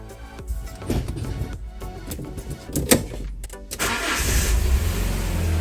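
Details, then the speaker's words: 25-year-old Fiat Barchetta starting after a service with new Denso plugs, oil, oil and air filters: engine catches after a few cranks and settles into a steady even idle with no misfire, partly masked by music. "ouais, tout va bien!"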